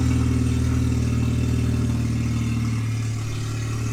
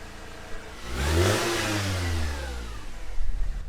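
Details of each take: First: Manual Mercedes C230 Kompressor supercharged, 183,000 miles, started in a garage with open headers and the exhaust bypassed: very loud, raw, unmuffled rumble swelling as it revs; no exhaust restriction, header and catalytic converter to be replaced. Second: Manual Mercedes C230 Kompressor W203, 183,000 miles, first start after fitting a new exhaust header: engine climbs smoothly in pitch, holds, settles back with clean deep exhaust note, no leaks or rattles; healthy revving.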